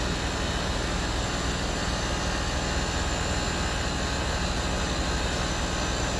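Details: Land Rover Discovery 3 replacement air suspension compressor, the original bent by damage, tested on the floor: small compressor with a steady even hiss and hum, no knocks or stalls, slowly filling the roughly 25-litre tank; normal operation.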